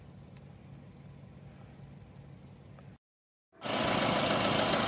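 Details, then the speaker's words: 2012 Honda Brio petrol, about 80,000 km, check-engine light on: uneven stumbling idle with vibration, one cylinder misfiring; injector later found faulty. "ini teman-teman kondisinya kayak gini ya bisa teman-teman dengar sendiri kondisinya pincang jadi idolanya itu enggak stabil ini berasa nggak enak banget di kupingnya dan engine nya pun terasa getar"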